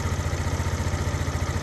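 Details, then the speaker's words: Yamaha Vino 125 scooter after carburetor cleaning, with fresh gas, new battery and new spark plug: small quick even putters, no stumbles or hunting; idles cleanly. "Now, it's running and idling."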